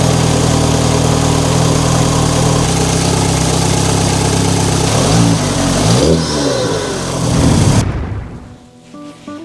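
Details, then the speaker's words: MK5 VW GTI Fahrenheit Edition with 220k miles: first start after replacing the leaking oil filter housing and topping up oil. It settles to a steady idle and revs cleanly up and down with no knocking or rattling. Healthy. "here we go first start up since Vietnam"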